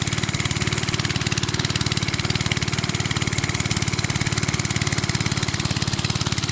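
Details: Briggs and Stratton-powered rotavator, thought to be from the 1970s, stood about 4 years unused, started from cold with a bit more throttle: quick, even single-cylinder pops at a steady pace, no misses or knocks; running cleanly, normal.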